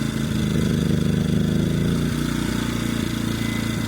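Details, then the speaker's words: EcoFlow dual fuel generator running on propane: engine runs rough, sagging and popping as the gas regulator is turned in too far, smoothing out at the right setting. "If I go in too much, now it's starting to die off. Hear the popping."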